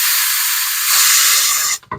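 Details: LG refrigerator after condenser replacement for a high-side leak, refrigerant tank tilted for liquid while hooking up to charge: loud steady high-pitched hiss for nearly two seconds then a short cutoff, air purged from the charging hose, normal.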